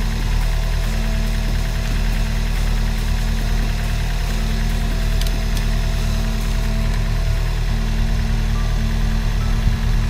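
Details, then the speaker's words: Chevrolet Celta alternator after restoring bearings noisy from mud contamination: engine idles with an even hum, no whine or bearing growl, running smooth and quiet and charging 14.61 V. "e agora tá aí tá lisinho alternador não tem mais barulho sereno sereno estava carregando 1461"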